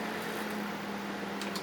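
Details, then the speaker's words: Brastemp BMS27 microwave after the wrongly fitted switch was replaced with the correct type: a steady low hum and even tone with no relay chatter. It runs normally. "Certo? Agora está funcionando direitinho. Então quando vocês pegarem um forno micro-ondas batendo o relé, geralmente é problema de chave."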